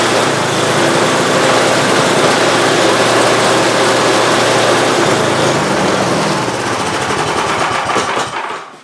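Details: Free Simplicity snowblower engine after an oil leak repair, freshly filled with oil and gas: loud, steady rapid firing at a constant fast pace, tapering off at the end, with no misses or knocks; normal running.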